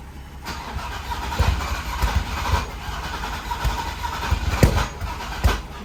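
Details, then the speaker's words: Built VW VR6 engine after fuel filter O-ring fix, running with an aftermarket coil pack: stumbles with uneven thumps and sagging revs, never settling; heavy misfire. Cause unknown; plug wire order suspected. "Now you gotta figure out why it's misfiring. That's a lot better though. That's at least starting out."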